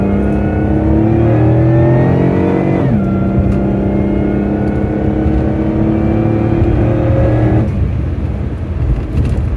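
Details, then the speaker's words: Supercharged car at full throttle after a misfire fix: engine pulls hard through the revs with a clean note and smooth shift, no stumbling or popping; healthy acceleration, though boost was later noticed not to rise. "let's go drive it around really beat on it really go full throttle and make sure that everything still works fine"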